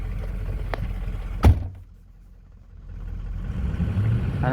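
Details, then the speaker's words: 2004 Ford F-350 6.0 Powerstroke diesel with hard start, stalling and no power: revs fall away and the rumble sags nearly to a stall before slowly recovering, rough idle. The fix done was replacing the body harness above the turbo. "so here's a video of the truck running it's running really crappy really rough and it has no power"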